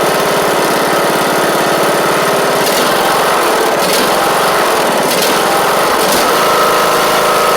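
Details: John Deere D110 mower fitted with a new engine, fuel pump reconnected, on its first start. Strong, steady single-cylinder run at constant speed with no knocking or missing. Normal running.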